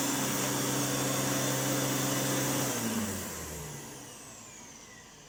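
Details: 1988 Electrolux 612 upright vacuum after full restoration with new pre-motor filter and dust bag: smooth steady motor hum at even pitch, then clean spin-down when switched off; sounds like new, normal motor running.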